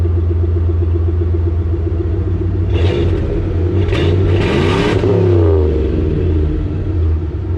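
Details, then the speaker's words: 1995 Ford F-150, cold engine just started with exhaust vented outside via hose, during throttle position sensor replacement; rumbling idle then quick revs with a leaky exhaust puff under the muffled note: exhaust leak. "Definitely have an exhaust leak, guys. I can hear."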